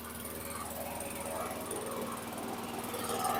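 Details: 2008 WeedEater 22" mower, Briggs & Stratton 500 series 158cc (10T50), flooded under six feet of water, after maintenance: single-cylinder popping at an even beat, picking up slightly, running without stalling, still smoking from oil in muffler; normal.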